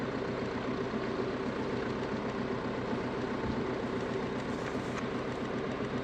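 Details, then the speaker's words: Diesel motorhome engine idling with a faint, fast tapping through the clatter; owner suspects a valve sticking in its guide and being struck by the piston, then finds something not right on removal. "I think we can hear it. The tapping of that valve."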